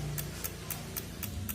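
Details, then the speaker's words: Honda Vario 110 LED CBS ISS scooter, ignition on, pressing starter: sharp rapid ticks about four per second, no cranking, battery reading 12.4 V; suspected starter relay clicking from weak battery, not confirmed. "ini bunyinya taktek taktek taktek aja 10 11 biar dekat biar jelas ini berarti kalau kayak gini arusnya udah enggak jelas ya Nah kalau kayak gini udah pasti ya kalau kayak gini akinya nih udah kurang bagus"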